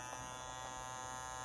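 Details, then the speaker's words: Energizer USB-C laptop portable power station: steady high buzzing whir with a raspy edge from the cooling fan; owner suspects something is touching the fan blades. "so with this energizer portable power station there's a weird noise i think there's something touching the blades of the cooling fan because when you turn it on you can hear that"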